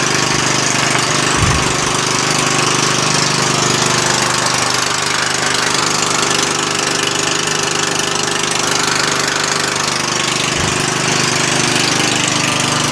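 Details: Murray lawn tractor single-cylinder engine after a valve adjustment; it spins over easier. Steady even beat around three pulses a second with no knock or miss; runs smoothly, though the transmission does not drive the axle.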